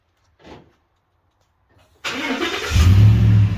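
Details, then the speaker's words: 1994 Ford Mustang: cold start, short crank, catches at once and settles into a smooth, deep, even idle; normal healthy start. "Woo, that sounds good."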